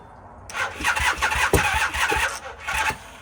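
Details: 1978 Honda CB400A Hondamatic that sat outside 10+ years, seized engine freed: uneven cranking bursts of about two and a half seconds that never catch.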